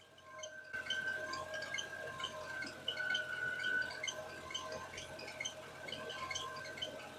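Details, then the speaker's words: Mercedes M273 V8 idling with quick, mouse-like chirping squeaks from a new serpentine belt area; cause not yet determined between belt and a bearing, to be tested by pouring water on the belt. "is engine is idling there's a little bit of a chirping squeaking noise coming from somewhere up in this area"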